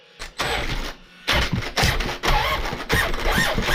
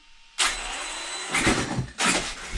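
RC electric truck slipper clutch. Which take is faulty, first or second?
first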